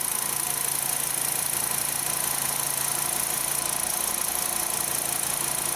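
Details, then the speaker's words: Volkswagen Jetta 2.5-litre five-cylinder with P0455, dying after refueling and hard to restart. Idling during a purge valve test: a steady airy hiss over a soft, even idle never cuts out, so the EVAP purge valve is stuck open and drawing vacuum constantly. "I don't know if you can hear that or not but it's definitely drawing vacuum all the time"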